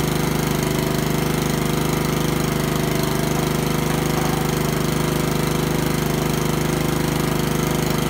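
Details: Honda lawnmower after a tune-up, with the carburetor cleaned twice: a steady, even single-cylinder chug at constant speed with no misses or surging; the engine runs smoothly.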